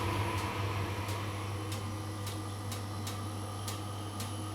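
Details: Vokera Linea 726 boiler hums with faint rapid ticking, then a sudden loud bang on ignition as it fires for central heating; it then heats normally.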